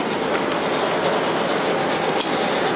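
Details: New Kenmore 800 gas dryer just installed with gas hooked up, running very quiet; steady even rush of drum and airflow, no knocks, squeals or scraping, running smoothly.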